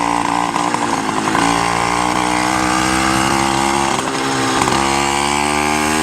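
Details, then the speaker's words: Minarelli two-stroke on a motorized bicycle, first start with a new reed, new head-on intake and custom MZ65 belly pipe on choke: loud, buzzy and steady, but fat and blubbery a little past half throttle; running rich, the owner expects to retune. "Like a little past half throttle, then it's just really fat."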